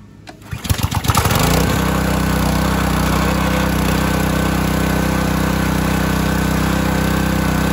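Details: Used Simpson pressure washer whose motor reportedly ran on choke, pump valves melted and swapped for a Cat pump: pull-start catches within a second, then a steady, even small-engine run with no misses or knocks; normal running.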